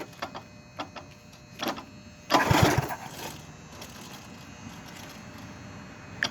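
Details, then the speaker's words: Roughly 54-year-old Yardman Snowbird S.261 snowblower with a 4 hp Briggs & Stratton engine, started in falling snow: it catches after a few pulls, bursts into life, then settles to a steady, even run. "It's old. But yeah, it runs. So this one's going to get torn apart for its motor. Good older 4-horse Briggs & Stratton engine."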